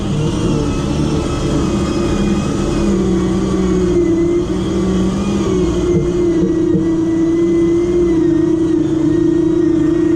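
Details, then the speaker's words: 12-volt winch motor run on 24 volts pulling the car up a hill, engine idling: strong steady hum holding pitch under load without bogging, about 22 seconds versus 55 on 12 volts; sounds healthier, pulls harder. "the winch mode actually just sounds a lot more healthier on 24 volt like just sounds like it's got more life in it it pulls a lot harder"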